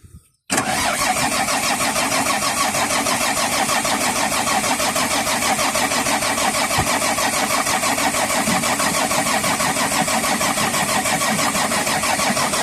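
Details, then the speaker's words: Volvo EC210BLC excavator, D6D diesel, won't start even after new primer pump: even fast cranking about three beats a second that never catches; air in the fuel system, starts after bleeding. "So ayan na mga boss. Ayaw talagang umandar. So binuksan namin itong rer cover. Nag-bleeding kami dito."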